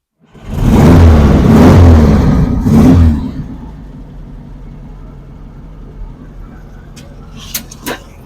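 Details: Volkswagen Beetle flat-four after fitting a new set of spark plugs (old plugs badly smudged): struggles a little to turn over, then catches and revs for a couple of seconds and drops to a low, steady idle; normal start and idle.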